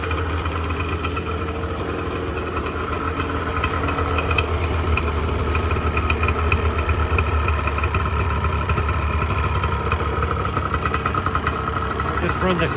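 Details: 1986 Honda NS400R 400cc two-stroke triple, first start after 11 months, warming at idle as the carbs are run down before storage: busy ring-ding burble, slightly uneven but no knocks or rattles; normal, healthy idle.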